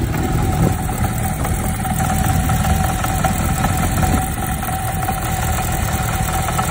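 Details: 1990 Kawasaki Zephyr 550 inline-four idling: light busy rattle over the even beat, top-end ticking; cam chain tensioner is all the way forward, owner suspects a new cam chain is needed; possible valve clearance job also pending.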